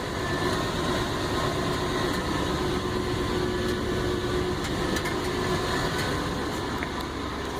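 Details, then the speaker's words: 1999 Toyota Land Cruiser 100 Series idling on the first start after the muffler was replaced with a Bosal muffler and new gaskets: steady, even low rumble, much quieter, no exhaust leaks heard. "already that is much improved. Much improved. And hopefully that'll come through on the sound clip, but it is much quieter."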